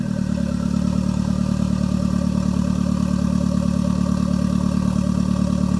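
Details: Toyota MR2 with Gen5 engine swapped in from a Caldina, first start with no exhaust fitted: loud raw blat with steady even pulse, no stumbles; normal idle. Owner suspects bent O2 sensor behind check engine light.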